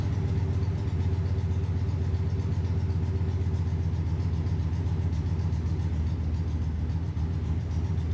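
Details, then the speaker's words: V8 race car engine idling: deep, loud rumble with a light, quick ticking on top from a leaking exhaust header gasket, left unrepaired for now. "there we go i think you can probably hear that annoying ticking header gasket but it is what it is"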